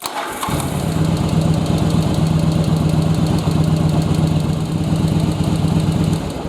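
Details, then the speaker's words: Second-gen Yamaha Virago V-twin, restart after carb sync with manometer removed, before air/fuel mix adjustment: catches quickly and settles into steady, even lumpy idle with no misses or knocks; sounds healthy. "so everything sounds good"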